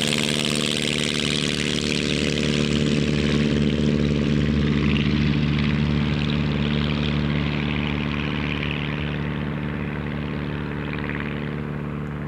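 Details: Pietenpol aircraft on its test flight after an engine rebuild, cruise possibly a high-speed run: deep, steady growl with a clean, even beat, no misses or surging; louder, deeper and growlier than before, better climb, max rpm 2525 or more.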